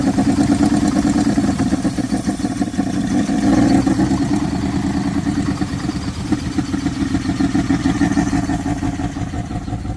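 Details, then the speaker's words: 1979 Dodge truck engine after sitting over 10 years with an engine problem, fed extra fuel: uneven loping V8 idle with stumbling beat dropping out irregularly; major miss, oil blowing out one side, engine judged no good. "Definite major miss. The oil blowing out of that side. This motor is definitely no good."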